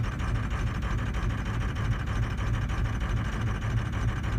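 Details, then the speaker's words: 2004 truck with hot no-start, power balance test while cranking then running: rough uneven lumpy diesel chug, about three beats a second; cylinders 2, 4 and 5 appear dead. "so here we go four or five maybe number two's dead - four and five are all dead as of right now"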